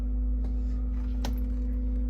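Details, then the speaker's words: Navien NPE-2408 tankless water heater starting up after its screen was cleaned (fixed a no-hot-water fault), setpoint raised from 110; steady even hum with low drone, no pulsing or faltering, heats water quickly; normal startup. "these are pretty quick too so not sure if you can hear that on the video but it's already in the water he's doing its thing"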